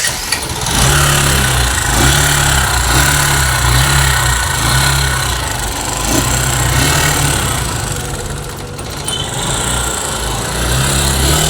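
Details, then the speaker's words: Bajaj Discover ST 4V single-cylinder at idle, before repair: quick light tick-tick over exhaust beat, loud ticking from engine; tappet/valve clearance suspected, to be adjusted; engine ticking noise. "इसके engine में बहुत ज्यादा आवाज आ रही है टिक टिक टिक आवाज आ रही है"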